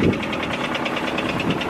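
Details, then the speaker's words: Honda Civic idling with a steady, rapid knock of about nine a second: rod knock from a worn rod bearing, though the car was still driven home. "the reason why I say that is because yep she got rod knock"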